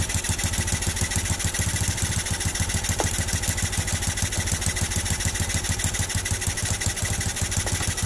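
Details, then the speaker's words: Honda Revo Absolute/Blade carburetor adjustment, throttle at 1/8, air screw turned fully in: low lazy idle around 200 per minute with irregular stumbling beats, nearly dying; near-stalling idle from over-rich mixture. "Nanti kita dengarkan suara paling tinggi ketika baut setelan angin ini kita tarik lagi keluar. Nah, ini seperti yang mau mati ya."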